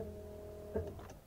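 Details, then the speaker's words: Volvo 240 fuel pump, rear left under car, ignition on, heard from inside the cabin: steady low buzzing hum with a couple of knocks; vibration was carried into the body via mounting screws, pump cradle since rubber-suspended, much quieter. "je vais vous montrer un petit peu la suspension caoutchouté à quel point elle caoutchoute ça fait vraiment beaucoup moins de bruit qu'avant le plateau est correctement suspendu les vis ne touchent plus c'est top"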